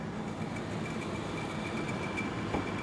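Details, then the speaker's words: 2021 Mercedes A220, possibly flooded, at an auction yard, idling with 3-month-old battery; steady high-pitched whine over even idle, suspected idler pulley or something in the belt drive, unconfirmed. "well maybe we got a bit of a wine maybe an idler pulley or something"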